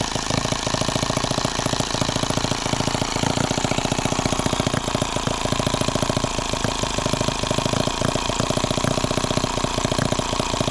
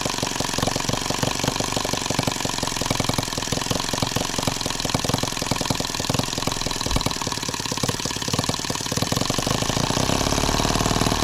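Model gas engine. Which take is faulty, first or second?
first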